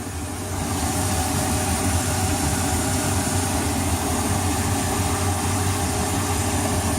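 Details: Boat engine idling just after its first start, noticeably quieter than before: smooth, steady, even low rumble with no misses or knocks, plus water and wind hiss.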